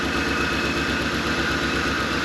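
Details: 1983 Ford Thunderbird Turbo Coupe, 2.3 L turbo, first run after 20 years sitting. Idle has a rhythmic low stumble with one beat regularly dropping out; a cylinder misfires, which the owner suspects is a sticky injector.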